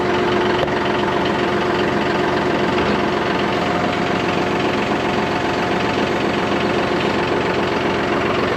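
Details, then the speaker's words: John Deere 5203 tractor with 512 loader, 740 hours, after milky hydraulic oil was dealt with by changing oil and filters: steady, even diesel clatter with a consistent beat and no knocks or squeals; runs smoothly with hydraulics working. "this old boy I bought this from me disappointed and now you just changed some oil and some filters and back in business ten thousand dollar tractor we fixed it"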